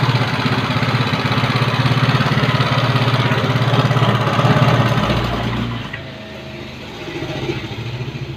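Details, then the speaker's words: Yamaha Mio carburetor scooter with a complaint of rough engine sound. It runs with a coarse, rattly beat before dropping toward idle. Rough running, cause not yet determined. "Yamaha Mio karburator keluhan motor-motor suaranya kasar"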